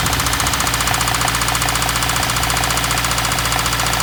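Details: 2015 Subaru WRX with 49k miles: steady, regular deep knocking, about three a second, over the running engine — rod knock from a worn rod bearing.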